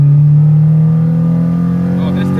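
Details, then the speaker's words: Track car after swapping in a replacement engine for the blown one: second gear quick rip, clean rising engine note pulling hard, smooth and even with no grinding or knock; engine healthy under load. "Just Just before you guys go, let me let me just do a second gear quick rip."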